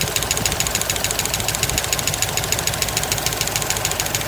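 A sharp, even tick rides over a V8 idle, roughly two ticks a second, bright and metallic. Cause suspected, not confirmed.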